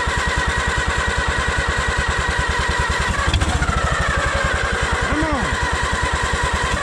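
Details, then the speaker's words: Allis-Chalmers WD tractor, first start in 25 years after a carburettor rebuild: it cranks steadily with good magneto spark and 30 psi of oil pressure, but never catches. Ether helps; it isn't drawing fuel, and the carburettor is suspected plugged. "Ether's helping. Keep her going. It ain't sucking gas."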